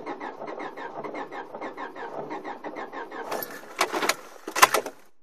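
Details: Car cranking steadily at about five or six turns per second for three seconds, never catching before the starter quits. The owner suspects melted rain or snow has wetted something, possibly water in the intake manifold. Crank no start.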